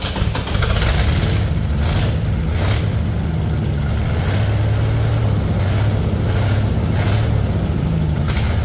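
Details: Old Ford 300 inline-6 truck engine after new pushrod, fuel pump, gaskets and ignition wire fix: deep, steady low rumble with an even beat; running cleanly with no knocks or misses, some smoke.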